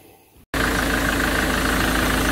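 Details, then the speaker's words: Ford Transit after replacing the crankshaft pulley (ignition coil ruled out): fires into steady, even idle without knocking or ringing from the belt end; engine quieter, old worn pulley was the cause. "шкива поменяли, двигатель стал работать тише. Причина была в нем."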